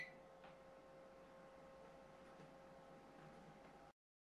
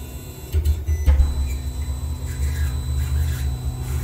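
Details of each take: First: Anycubic i3 Mega 3D printer after noise-reduction upgrades: soft steady hum with faint stepper ticks at very low level; normal quiet printing. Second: Anycubic i3 Mega 3D printer printing on its stock stepper drivers, before the swap to TMC2208 drivers: a low droning hum with a steady high stepper whine, loud stepper noise.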